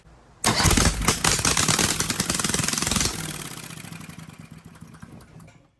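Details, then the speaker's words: Briggs & Stratton 18 HP Vanguard twin, first revival start after gas poured in, plugs not pulled and cylinders not lubed: cranks, catches sharply, revs up, then settles into an even, rapid firing beat with no knocks. It sounds decent. "But what fun would that be? She runs. She sounds decent, too."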